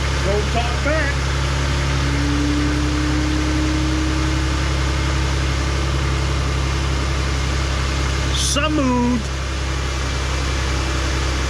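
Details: 2007 Jeep Grand Cherokee 3.7L after injector replacement for a P0202 code: even, steady low hum with no stumbles or skips; idling smoothly on all cylinders after first start.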